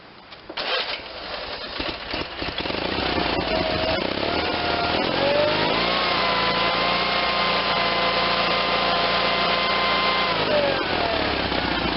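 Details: Onan B48M (GA018) engine in a Case Ingersoll lawn and garden tractor at full throttle, owner suspects over-revving (most small engines max 3,600 rpm), checked with vibratory tachometer; engine fires and climbs to a steady, fast, even drone without misses or surging.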